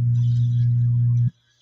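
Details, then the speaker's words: LD Systems Curve 5 active speaker, volume at maximum, amplifier board open: loud, steady low hum that appears when the board near the tone controls is touched and stops abruptly when released; mains hum from a ground loop there. "grabe yung haming ayan kapagka kinakapa natin dito"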